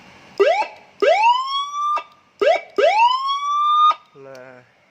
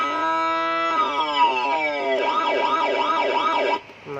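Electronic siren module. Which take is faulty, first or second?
second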